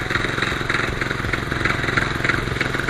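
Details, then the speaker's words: Roketa 250 running with front brake held: uneven clunky knocking clatter about three times a second over the exhaust from the rear gearbox; owner suspects a spun bearing, cause unconfirmed. "there's a noise coming out of this rear end of this bike and I think it's the gear boxes got a spun Baron or a dumping"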